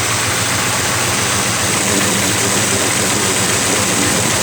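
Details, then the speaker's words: Ford Crown Victoria that overheated at idle because the cooling fans were not engaging. With the thermostat sensor disconnected as a quick fix, the electric radiator fans run: a steady, loud, airy rush over the idle. Fans working normally; root cause not yet diagnosed. "they're having problems overheating here's your fans like coming on try this method"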